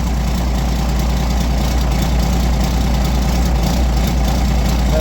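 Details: Roadtec paving machine diesel engine after the fuel filter change and air filter service: a steady low diesel rumble holding an even idle with no coughing, surging or dying. Normal idle after repair.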